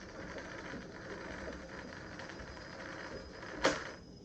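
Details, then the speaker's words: 1885 Singer Improved Family sewing machine, bobbin winder test: soft even whirring while winding, then a crisp click as it trips off when full; winder adjusted correctly and works. "There you go, perfect. 150 years later, and it works just spot on."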